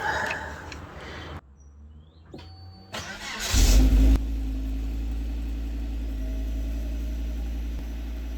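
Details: Volvo V70 after patching an exhaust line hole with a repair kit: engine cranks, catches with a brief rev, then settles into a smooth, steady, quiet idle; normal start and idle.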